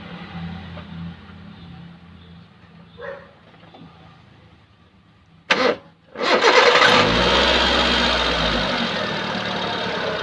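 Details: Hyundai Santro that made a loud noise at start, after replacing the power steering pump bearing: short crank, catches cleanly and settles into a steady even idle with no squeal or rattle from belt-driven parts.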